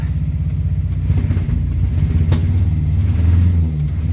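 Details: Morris Minor 4-door after new ignition barrel, with choke: uneven chuffing that stumbles as revs rise and fall, stray clack; runs but missing, owner suspects dirty points and plugs.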